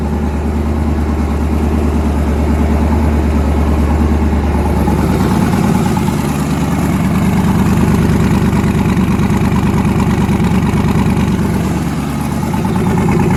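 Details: Newly twin-turbocharged engine, first start after conversion, lumpy idle with a regular skipped beat about three a second, loping unevenly; back cylinder misfiring, head gaskets done last year, fuel line weeping.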